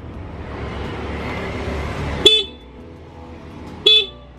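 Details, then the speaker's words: Honda Beat motorcycle horn that had been weak, after adjusting the screw at the back of the horn: two loud, clear, bright blasts over engine hum; loudest setting reached. "nah ini suara terkeras ya teman-teman bisa mengencangkan imutnya saja bagian dalam pakai"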